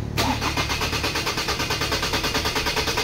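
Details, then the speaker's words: 2003 Ford Ranger automatic, hot engine: the starter churns steadily at about three pulses a second without catching. This is a long-crank hard start when warm, traced to a faulty camshaft position sensor. "so ang Concern lang po ng may-ari nito mga kalbaryo pag umiinit na ang makina ay lalong magl cranking So hindi na siya umaandar ulit"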